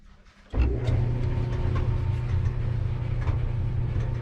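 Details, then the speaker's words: Maytag LDE6914ACL dryer just after DIY belt and drum guide replacement: starts into a steady low rumble with a faint high squeal on top; still sounds a little funny, owner suspects the idler pulley. "Something still sounds a little funny, but I'm not sure. I'm gonna let it run a while. It might be the idler pulley."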